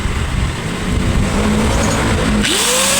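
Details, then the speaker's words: Angle grinder after gear repair and refitted carbon brushes spins up with a clean rising whine settling to a steady high pitch, no grinding or rattle; normal running. "Ayun. ayos. So ibig sabihin mga winding, so goods na to. Okay na tong ating ni-repair na grinder."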